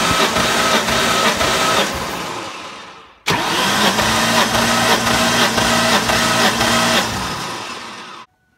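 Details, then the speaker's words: 2003 Ford Mustang Cobra (Terminator), about 140,000 miles, 8.5:1 compression, cranking during a compression test: quick even cranking near 220 beats a minute with steady starter whine, two runs, no skips; just shy of 150 psi, healthy. "we'll crank it a few more times here so just shy of 150 which is pretty normal for these cobras"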